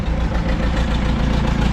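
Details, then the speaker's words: Diesel excavator engine, with a newly replaced throttle cable and oil leaks, idling with a deep, steady rumble and a faint regular ticking on top. Owner says it needs a head job; cause not confirmed. "Well, we gotta do a head job. You can hear it ticking."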